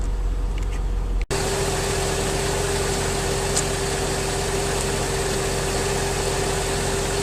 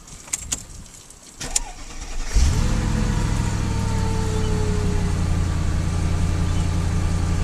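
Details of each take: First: 2003 Mercedes S55 AMG, about 186,700 miles, after Active Body Control/power steering hydraulic pulsation damper replacement: steady idle with smooth constant pump hum, much quieter, less hydraulic whine, no surging or gurgling; normal idle. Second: 2003 Mercedes S55 AMG on ramps, engine started: whine over idle from the ABC/power-steering hydraulic pulsation damper, which has failed and leaks oil from a weld, causing hydraulic vibration.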